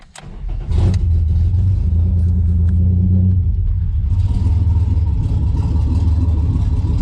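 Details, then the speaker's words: 1991 Ford Scorpio with 2.9 V6 Cologne engine, standing about 15 years, no exhaust fitted. Catches after a short crank and settles into a loud, uneven open-pipe idle that keeps running; rough but apparently firing on all six cylinders. "okay like an angry kitten like a tiger Maybe but yeah not bad obviously it's got no exhaust but I think it's running on all six [Music] cylinders"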